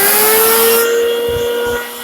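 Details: Farmer IZE-05 grain grinder grinding wheat: loud, steady motor whine at even pitch while grain feeds through, with no knocks or rubbing; working normally.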